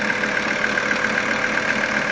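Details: 1980 Mercedes 300CD diesel idling: a light, even tick at about seven or eight per second, louder with the AC on; engine knock that a mechanic's stethoscope could not locate.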